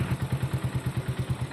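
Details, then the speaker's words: Raider 150 Gen1 motorcycle idling: heavy, rhythmic low clatter about five knocks a second, very noisy ticking engine, being taken in for repair. "Ayan sobrang ingay then malakas yung lag tip ng Mak niya"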